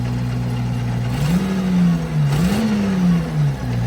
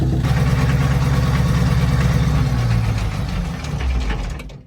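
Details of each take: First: FV432 APC diesel, first run in 13 years, after releasing accidentally pressed dead man's stop pedal: engine runs steady and picks up cleanly on throttle blips, no misfire; running properly, smoke not clearly improved. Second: FV432 APC diesel, first run in 13 years, running about 25 minutes: uneven, lumpy beat with a wavering tone and white smoke; rough running, with unburnt fuel suspected before injector pump adjustment.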